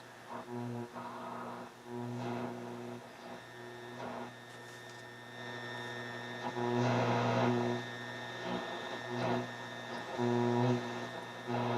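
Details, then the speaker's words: Marantz 2250B 1970s receiver during tuner alignment, AM band: constant low buzzy hum under faint patchy stations while tuning; AM otherwise sensitive, picking up distant stations. "so that's pretty much it uh a.m lots of stuff here creating"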